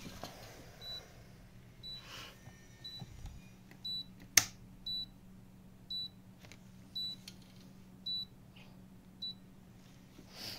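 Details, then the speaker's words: Deerma DEM-F628S humidifier beeps repeatedly and won't power on, no display indication; short high beeps about once a second with sharp clicks. Power-board output voltage low and fluctuating, chip suspected; fixed by replacing the power board. "простой ремонт китайского увлажнителя увлажнитель Пищит и не включается никакой индикации на дисплее"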